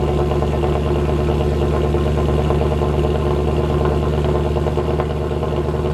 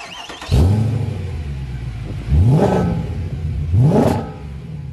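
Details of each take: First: W204 Mercedes C63 AMG V8 at idle after fix (long-tube headers, sport cats, mid silencer): deep steady rumble, even low burble, no drone or rattle; exhaust healthy and louder. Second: W204 C63 AMG V8 with long-tube headers, sport cats, new mid and rear silencers, recorded outside: three hard revs with boomy droning exhaust; mid silencer vibrating, fixed by welding vibration damper and refitting stock rear silencers.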